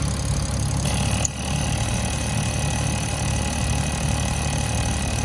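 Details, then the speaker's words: 1986.5 Toyota Supra MK3, converted from the factory 7M-GE to an Aristo 2JZ-GTE VVTi with R154 manual, fitted with a DIY IAC valve; engine warm. Smooth idle with a faint thin whistle after the IAC is plugged back in: intake air whistling past the idle air control check valve. The owner suggests the tuner disable the IAC. "Your tuner can pretty much you know, try to take out the IAC control, shut it off. That's what I'd suggest, and you won't have anything, you know, to worry about, any air noise or anything during operation while the engine's warm."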